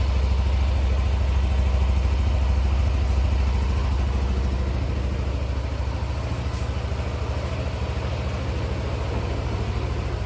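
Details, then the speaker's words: 2016 Yamaha NMAX scooter at 2,400 km after a service with parts replaced due to age: smooth, even idle with a steady low throb and no knocks, ticks or rattles; engine sounds smooth again. "Suaranya halus kembali. Bagus."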